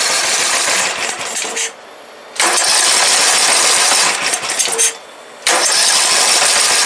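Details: Briggs & Stratton 17.5 OHV single-cylinder lawnmower engine after tuning catches quickly and runs strong in bursts with short pauses, no knocks or misses; starts every time with the key, compression release working, runs like a healthy new engine.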